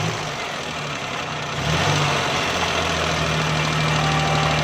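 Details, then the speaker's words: 2012 Suzuki Bolan after repairing a cut wire with tape, misfire previously on both CNG and petrol, light throttle blips: steady, even engine note picking up cleanly, no stumble; misfire gone, running normally. "ये देखें दोस्तों, गाड़ी बिल्कुल सही हो गई है, मिसिंग भी ख़त्म हो गई है।"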